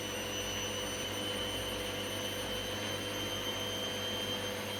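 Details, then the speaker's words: Candy GVS169D3/1-80 Grand O Vita 9kg washer after motor-controller triac replacement fixing error E09: empty drum full spin, quiet steady whir with thin high whine, no thumping or rumble; smooth, balanced, normal. "it sounds nice and quiet and it feels quite well-balanced because of course there's nothing in us"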